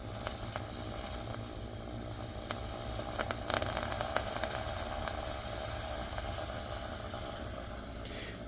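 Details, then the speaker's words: Lelit Bianca E61 group head reaching brewing temperature: soft sizzling hiss with a few light ticks over a low hum, which is normal for this group. "Okay, so these E61 groups, I'm pretty sure they all work this way. As soon as the machine kind of gets to the temperature for brewing, you're gonna get that there."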